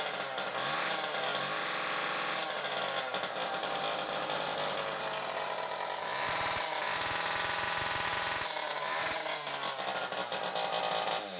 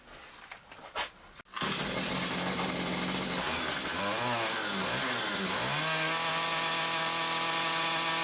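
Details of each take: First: Stihl KM94RC two-stroke combi unit, carburetor replaced and air leaks fixed, died when revved on choke; run with the muffler removed it gives a harsh, raspy high-pitched howl and revs freely, pointing to a blocked, oily, mucky exhaust. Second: Stihl two-stroke combi unit that died when revved, after clearing a blocked, oily exhaust and refitting it: pull-start, buzzing revs climbing and dipping then holding strong, steady high revs; revs freely now.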